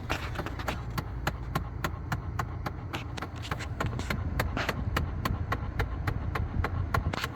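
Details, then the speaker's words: 2008 Chevy Impala: rapid, steady clicking about three to four a second from behind the dash on the passenger side over a low rumble; bad blend door actuator. "Impala, it have a blender actuator issue. So I'm going to let you guys hear the sound, what it make."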